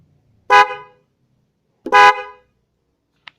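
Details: Denso horn test comparing non-waterproof (open front) and waterproof (closed front) models: two short, bright, full-toned blasts with no rasp, horns working properly.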